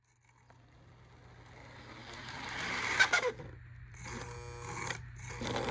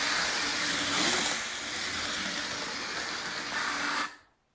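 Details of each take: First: Lionel model train armature motor whirs with steady hum and thin scraping squeals from a dry armature; fix is a little oil in the reservoir and a dot on the armature shaft. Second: Lionel model train armature motor running quietly after oiling the reservoir and a dot on the armature shaft to cure a squeal; steady whir with airy hiss, no squeal, then stops.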